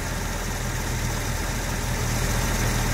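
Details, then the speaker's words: Jaguar Series 1 4.2 with new electronic ignition, idling just after the choke went off. A steady, even low idle with a smooth, unbroken beat and no knocks or misses; running fabulously, about 750 rpm and likely to settle lower. "Oh yeah, she's running fabulously now. Absolutely fabulous. She might go a bit lower than that."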